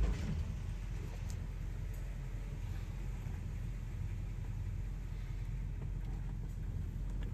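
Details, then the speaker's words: 1963 Chevrolet Impala SS V8 with Powerglide on test drive after exploded coil replaced (previously bogged in gear, left stranded): deep even rumble building under throttle, no stumble or misfire; pulling strongly and cleanly. "oh yeah that's what it's supposed to feel like my baby's back"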